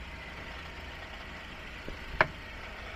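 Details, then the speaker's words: Citroen C4L chassis clunk, mic on hub side: sharp single knock over low rumble when steering about 50–60 degrees in one direction, as when reversing or moving the car; also slight grunt over ridges; cage initially suspected. "And then it doesn't ring It will only ring in this direction. That's why they suspect the cage."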